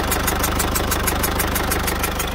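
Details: Citroën C4 Picasso 1.6 HDi 110 diesel, cold engine at morning start idling, sharp regular ticking about six per second, compression escaping past leaking injector seals, with burnt diesel smell in cabin; injector seal compression leak.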